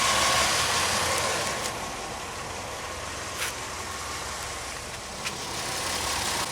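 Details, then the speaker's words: 2001 Pontiac Aztek GT just after an oil change following a Seafoam flush, with the oil pressure switch still to be replaced: a steady, even idle with a soft hum and no knocking or ticking, sounding healthy. "it sounds good sounds okay all right so that's it for that"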